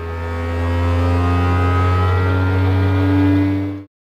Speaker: While it's doing its input shaping and etc., it will make some noises. That is normal. Don't be alarmed. You'll hear some vibration noises like this. That's normal.